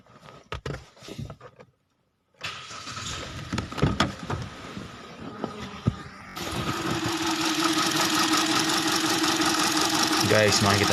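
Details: Car with engine light on and rough idle: the engine cranks and catches, then settles into an uneven, lumpy idle.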